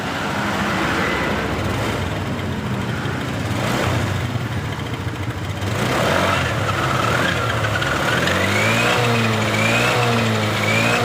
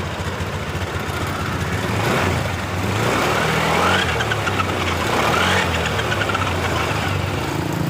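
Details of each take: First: Honda Beat LED Deluxe that stalled with DTC code 7: after clearing the DTC it starts, revs up smoothly and settles to a steady idle with no stumbling; running normally. A loose EOT sensor socket was suspected. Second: Honda Beat LED Deluxe showing DTC code 7, engine running but sputtering ("brebet") when throttle is first opened, sometimes normal: uneven pops about four a second rising and falling with throttle.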